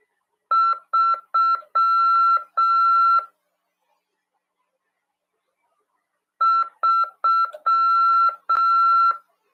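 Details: Amateur radio CW lesson: clean single-pitch beeps in short and long groups with a silent pause between; ordinary Morse code practice tone.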